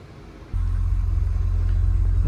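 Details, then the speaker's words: Audi RS6 C7 twin-turbo V8, after engine removal, teardown and repair for misfire and rattle (fault found behind timing cover): fires at half a second and settles straight into deep, steady, even idle with no misfire stumble; normal idle. "running. No misfires just yet. So that's good."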